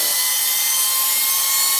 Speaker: to the spindle, which you can hear whining there.